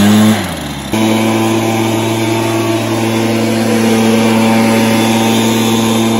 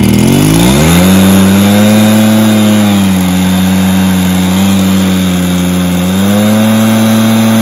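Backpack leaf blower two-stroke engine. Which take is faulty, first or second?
second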